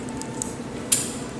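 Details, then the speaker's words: Trane heat pump unit during cooling-mode troubleshooting: under the steady hum comes one sudden, short hissing click as the reversing valve shifts and engages as it should. "it yep that was that was the the reversing valve that we heard reversing valve is engaged"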